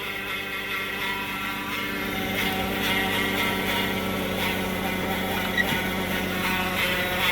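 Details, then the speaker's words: Chrysler 200 towed in with a transmission complaint: high, steady hummingbird-like whine above the engine that slowly fades; the car won't move on throttle in gear, pointing to internal automatic transmission failure. "sound like a hummingbird ladies and gentlemen that is a transmission wine"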